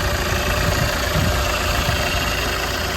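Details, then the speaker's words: Alfa Romeo 159 diesel as bought: steady idle with an even, taxi-like clattery knock over a low rumble and no misses; a normal diesel idle. "I really like these box and Motors they don't have kick out some noise though sounds like a taxi"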